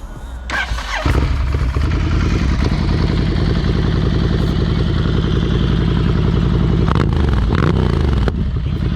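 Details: Rebuilt wrecked 2016 Ducati Scrambler Icon after new forks and repairs: the starter churns briefly, then the twin catches and settles into an even, steady idle under loud background music; sounds healthy.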